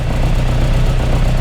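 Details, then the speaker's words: Austin Mini Mk1 with Arden 8-port head during cold start mapping, idle target 950 rpm; steady even low idle with no hunting or misses. Normal cold idle. "that's got a nice Idol"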